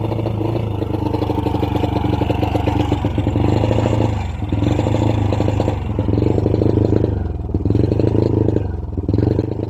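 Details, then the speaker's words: Honda Wave 100 carb-type single-cylinder motorcycle: under full throttle a low, labored drone that surges and sags and barely climbs; bogging, will not rev, CDI to be checked first. "Yun know, kahit anong full throttle natin guys, no, hirap talaga makabuelo ang pwersa ng kanyang makina. So ibig sabihin guys, may problema ang kanyang motor."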